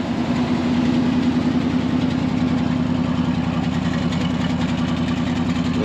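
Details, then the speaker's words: 1974 Ford F600 dump truck gasoline engine after sitting two years, smoking a little: steady, even idle with a regular pulse of about three and a half beats a second, no knocks or misses; running well. "twoyear old gas sucker is running pretty good running really [Music] good"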